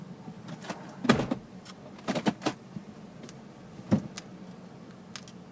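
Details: 2005 Nissan Armada cab: sharp, uneven knocks from under the dashboard about one every three seconds over a low hum; cause unknown.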